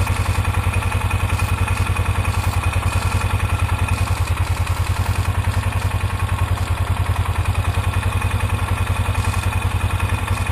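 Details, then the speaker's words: 2003 Polaris Ranger 500 after an oil leak repair with new gasket and RTV, idling about 10 minutes: steady, even low thump with no misses or rattles, no leaking or spraying; clean, healthy idle. "Well, it's been idling now for about 10 minutes. So far, no leaking, no spraying."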